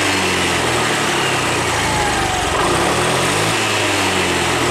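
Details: Honda Beat 2020 scooter that was sluggish and topped out at 60 km/h, after resetting the injection altitude mode, injector duration holding 2.5–2.8 ms; steady even idle with light buzzy note, no hunting or stumbling, running properly.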